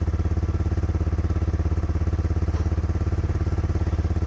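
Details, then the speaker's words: 1986 Yamaha Moto 4 YFM200DX ATV with new charged battery, once started: steady, even single-cylinder putter at about three and a half beats a second, no misses or knocks; a healthy idle. "once it starts it idle's really nice"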